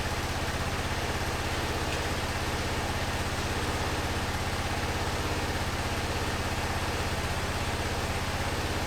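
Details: 2005 Honda TRX650 Rincon, 650cc single four-stroke, revived non-runner, right after a cold start on choke in neutral: a smooth, regular low putter at about three beats a second with no hunting. Healthy idle; the carb may need slight tuning.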